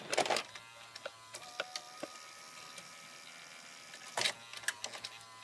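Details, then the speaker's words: Toshiba AH-350 Betamax VCR after belt and roller replacement. A soft motor whirr with small clicks and clunks as the cassette is drawn in and threaded: a healthy loading mechanism. "and it ever so politely drags the tape inside"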